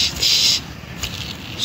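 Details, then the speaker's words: 2008 Honda Accord power steering pump removed for overhaul, shaft spun by hand: dry, gritty high-pitched whirr in short bursts; old shaft bearing is worn out, replaced with a new quiet bearing. "that's bearing is gone"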